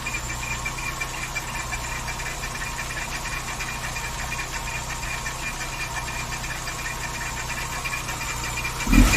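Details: VW Saveiro G4 with AP 1.6 engine idling with the valve cover off; light irregular tapping about three knocks a second over steady idle; owner suspects the timing belt or pulley, cause not confirmed.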